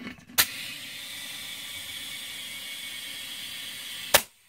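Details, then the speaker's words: Quad (four-wheeler) tire with a newly fitted inner tube: steady, even, high-pitched hiss between two sharp clicks. The tube is leaking air; the owner doesn't blame the shop, and the cause is unconfirmed. "You probably can't hear it. It's fucking leaking. Yeah. Yeah, it's fucking leaking."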